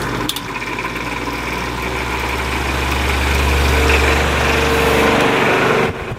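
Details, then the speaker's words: 1950s Patton 18-inch High Velocity fan, 3.2 A GE shaded-pole single-bearing motor, hot and slowing down: loud strained hum with a low drone that sags in speed; the bearing is seized, and the owner wonders if the oil is too thin. "bit it's not running at the speed it's supposed to be running at motor is really hot sounds terrible"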